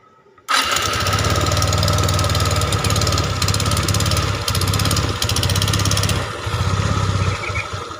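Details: Suzuki Skydrive 125 single-cylinder with auto choke, cold start: starts at once and runs at a fast, even choke idle with no valve-train clatter, carb not yet set; oil now reaching the head after the rough-noise fix; sounds healthy.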